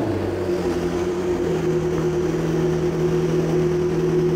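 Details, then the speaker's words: McLaren supercar after a DIY repair using used and cheap Nissan Sentra parts; the check engine light is now gone. Smooth, even idle with a steady low hum and no misses, ticks or stumbles: normal idle, runs good. "Runs good. Yay."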